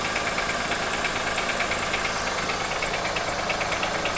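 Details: 2003 Acura MDX V6, 208K miles, misfires on all 6 cylinders, valves ticking, water pump sounds bad, timing belt overdue; steady lower-end knock about three a second over hissy idle; dealer suspects wrist pin or rod bearing; cause unconfirmed.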